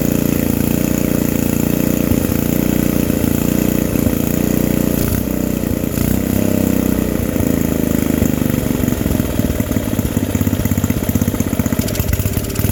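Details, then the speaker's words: Free vintage small-engine generator with varnish in it, started with a whiff of ether, killed by grounding the spark plug: single-cylinder catches and settles into a rough but steady run at fairly even speed; normal running. "Like, oh my god, I can't believe this thing just fired up with all that varnish in there."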